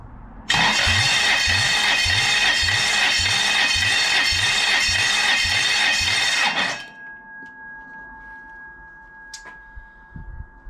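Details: 29-year-old Toyota 1UZ-FE V8 on a bench, compression test of cylinder one with the starter switch: six seconds of cranking, even strong pulses about four per second, no skips; about 230 PSI, cylinders around 220, healthy compression.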